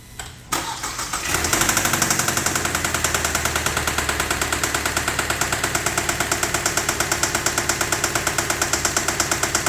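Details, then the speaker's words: 2012 Kia K5 2.0 gasoline, 100,000 km, towed in and stalling after starting: loud hard tapping about three beats a second over rough idle; scanner shows timing-related codes (chain/crankshaft), oil/lubrication problem suspected. "들으신 것 처럼 엔진 에서 매우 심각 하고 큰 소음 이 나고 있습니다 . 엔진 내부 에 뭔 가 고장난 것 같으니 먼저 고장 여부 를 확인 해 보겠습니다 ."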